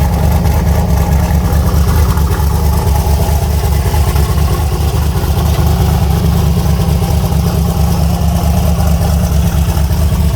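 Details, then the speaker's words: Boosted V8 Chevy Nova with S480 turbo just fitted, cold start at about 27°F: deep even rumble at steady idle, no ticking, knocking or whine; normal cold idle. "She is. She's fired up and sounds good."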